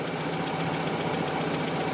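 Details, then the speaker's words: 1987 Toyota pickup, 22R engine, which intermittently would not idle; after a carburetor rebuild, with the idle mixture screw three and a half turns out and base idle set at 750 rpm, it shows a smooth, even low idle without stumbling or surging. Normal idle. "I've got my base idle set at 750 RPMs but I'm probably going to turn that up just a little bit seems too low to me but 750 3 and 1/2 turns it's idling"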